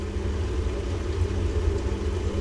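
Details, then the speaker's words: 2015 boiler, 11 years old, showing E131 after earlier E125 poor-circulation fault, heat and hot water not working: steady low rumble with a faint hum while firing, from the main heat exchanger; suspected blockage, plate heat exchanger issue with pressure building, unconfirmed. "Just doesn't sound healthy on the main heat exchanger. I think there's a blockage in it or something along them lines."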